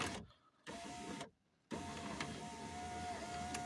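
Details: 2003 Volkswagen Touran driver's door power window, tested up and down after repairing a frayed regulator cable that had caused grinding and glass dropping: steady, even motor whir with constant pitch, pauses between runs, no grinding or clicking; normal operation after repair.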